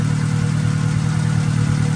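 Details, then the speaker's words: Integra GSR with B18C1 engine on Hondata S300 ECU at idle while checking timing: steady but slightly uneven low idle with faint lumpy beat and slight backfire; timing reads 21 instead of 16 degrees, distributor needs setting. "see now went to 21. do you see it do you hear the difference that timing 16 degrees enter it's not going down so our timing's off"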